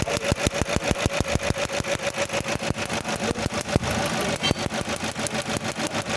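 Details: Toyota with code P0301, cylinder 1 misfire: rough petrol idle with a sharp, uneven puff or knock about three times a second.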